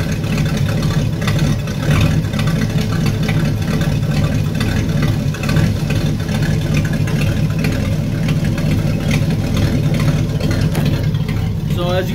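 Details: 1964 Impala 283 V8 needing a tune-up, muffler cut out after transport damage, running on open exhaust manifolds with no muffling: loud, deep, raspy rumble with sharp crackle at idle.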